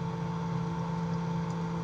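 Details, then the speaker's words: Fridge converted from inverter to conventional operation: compressor running and vibrating, fan spinning, cooling under way; steady low hum with constant mid tone and even fan whir, no knocks or rattles; normal cooling cycle. "Ini ya, kipasnya hidup ya guys ya, muter nih guys. Ini terjadi pendinginan."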